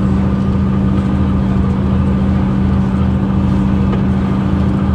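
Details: 2009 Mercedes-Benz CapaCity metrobus, OM 457 hLA Euro 5 diesel, 12-litre, with ZF Ecomat 6 HP 602 C six-speed automatic: steady heavy diesel drone with a strong constant low tone under load, a rarely heard noisy gearbox.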